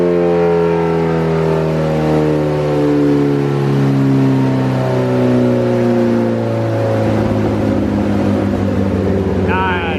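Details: 2008 Suzuki GSX-R1000 on the dyno, warmed up, full-throttle pull: a smooth, even four-cylinder pull with no stumble or flat spot as revs sweep; the bike had a fueling issue a previous ECU map didn't fix, with a new fuel pump assembly fitted.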